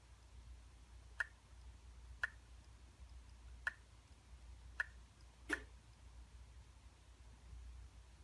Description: MacBook Pro Mid-2012 making clicking noise.